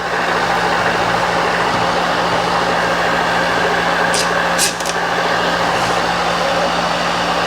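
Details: Free milling machine left outside a year, cleaned, oiled and powered through a VFD: steady even motor hum with one brief mechanical clack from the quill; stops, quill return and brake work; runs healthy.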